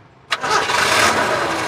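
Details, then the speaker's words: 1990 Daihatsu Zebra 1.3 (1300 cc), engine dry with no oil seepage: the starter catches almost instantly and the engine settles into a smooth, even idle, with no metallic noises when revved; healthy engine start. "Oke, ini mobil tua tapi starter langsung cireng Lur. Oke ya, suara dari situ dengeran nggak? Suaranya masih halus ya. Ini tahun 90, 1300 cc dan mesinnya masih halus."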